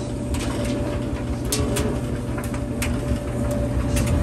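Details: Maytag 3000 series gas dryer, 12–13 years old, after fixing no-spin by replacing broken pulley and belt tension: steady low rumble, drum turning evenly with faint soft ticking, no squeal or scraping; running smoothly.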